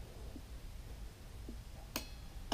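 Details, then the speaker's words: 1967 VW Beetle restoration engine bench starter setup: quiet room, then two sharp single clicks about half a second apart as the switch is worked; starter relay clicking in properly, engine-side wiring still to be done. "you can hear the relay clicking in so it's all good this end just got to get all the uh other wiring sorted for the engine side of things"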